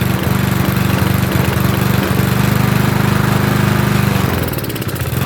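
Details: Trash-picked lawnmower, small single-cylinder: chugging at a fairly steady beat, a little uneven but running on its own; normal running.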